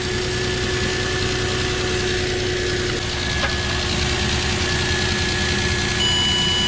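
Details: 2006 Nissan Frontier 4.0 V6 running after a jump start that followed a no-crank, no-communication fault from a blown main fuse at the positive battery terminal. Steady, smooth idle with an even hum and no misses or knocks; alternator charging at 14.2 volts.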